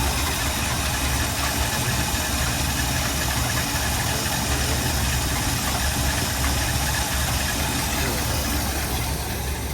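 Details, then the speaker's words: 1964 Buick Riviera, 425 V8 (owner thinks), 96,000 on odometer, warmed up after running a few minutes: steady, even idle with smooth low rumble, no misses or knocks; runs clean and healthy, purring. "Calm down, nice now. Listen to her purr."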